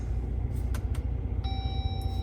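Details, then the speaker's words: Jeep Gladiator idling with electrical gremlins (center stack lights blinking, infotainment rebooting, auto stop-start not working): a single clear dash chime with no obvious trigger, among random dings and blind spot alerts. "We're getting all kinds of random dings, blind spots."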